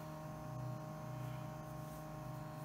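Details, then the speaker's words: Loud fan noise at power-on of a Windows 98 PC after a case swap: loud steady drone with a fast low flutter and whiny tones, suspected to be the GPU fan. "it's a quite loud I think that might be the GPU fan I don't know we have to go look"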